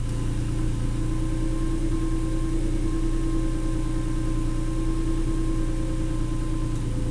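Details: Honda NSX with 290,000 miles after a Nelson Ledges track day, idling and warming up: thin constant high-pitched whine above engine note, louder as it warms; suspected A/C idler pulley bearing.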